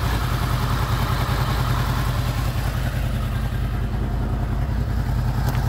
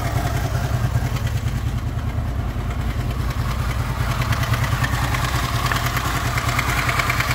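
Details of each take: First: Warm idle of a Honda VFR800 VTEC V4 (58,200 mileage) at about 43 °C after cam chain replacement; steady even beat with light valvetrain chatter, no knock. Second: Honda VFR800 VTEC V4, 58,200 mileage, before timing (cam chain) replacement: deep idle with fast metallic clatter as revs lift slightly, heard mainly on the right side from the front cylinder; stretched cam chain rattle.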